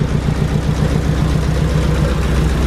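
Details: Imported car just picked up from the port: uneven, chuffing idle with a lopsided pulse and a missing beat, one cylinder dead and running on three; a coil pack is then replaced.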